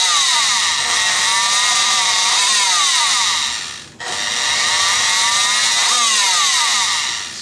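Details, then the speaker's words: Rockwell Sonicrafter oscillating tool running plugged in: high buzzing motor wavers in pitch, fades and surges as the speed knob is adjusted, not holding its setting; flaky speed control from a cracked resistor and bad solder joints. "it's a little flaky so yeah we gotta it seems like we got a flaky speed control uh it's not uh when you turn it to a setting it's not holding it at that setting"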